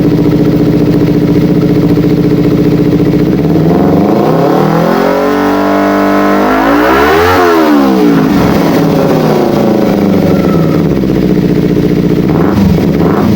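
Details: Kawasaki Ninja 250 FI twin, complaint of hesitation, weak power and slow throttle response, after throttle body refit; starts at idle, sweeps up smoothly through the revs and drops back cleanly, no stumble or misfire, normal running.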